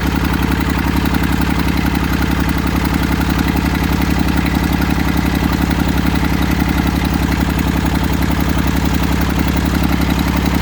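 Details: Massey Ferguson 35 three-cylinder diesel, seized 20+ years in the woods, tow-started in third gear high after the starter failed; it fired after about 300 yards of building compression and heat. Steady, even chug at about 220 beats a minute, no misses or knocks: normal diesel running.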